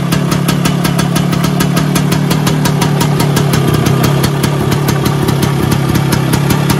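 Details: Vespa PX 125 with 177 kit, restored engine (new bearings, seals, piston, rings, lapped cylinder), 2.5% premix, first start after a year: crisp evenly spaced two-stroke pops at steady idle, no misses or rattles; normal idle.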